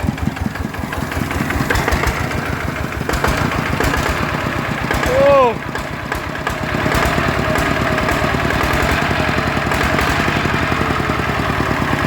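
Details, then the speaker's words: Yanmar diesel engine: even, steady thumping at idle that holds its rhythm without misses or knocks; running properly. "เดี๋ยวฟังเสียงปั๊มหน่อยดิอีดๆมั้ยเฮ้ยใช้ได้เอ้าพออ่ะเดินเบาได้"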